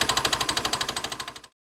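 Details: Piaggio Xevo 125cc scooter engine: a sharp, even knock repeats about thirteen times a second over the running engine, then cuts out; engine knocking, cause unknown.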